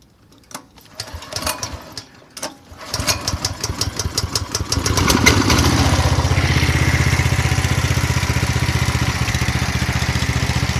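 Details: 170F single-cylinder engine after replacing crankshaft, connecting rod and two bearings; starts after a few pulls into a fast even chug, knock gone.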